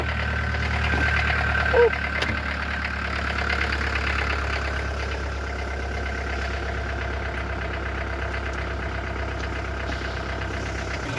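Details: 1988 Swift Kontiki diesel motorhome, long unable to start, now running after a jump-start on a weak battery: steady, even diesel clatter with a constant low drone, no misses or surges; normal idle.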